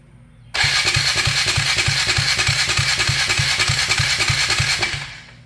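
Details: 1999 Polaris Sportsman 335, first start attempt after replacing a broken valve guide and gaskets, unprimed with the fuel pump left to prime the carburetor: steady cranking about three beats a second for four and a half seconds, never firing; cranks but won't start.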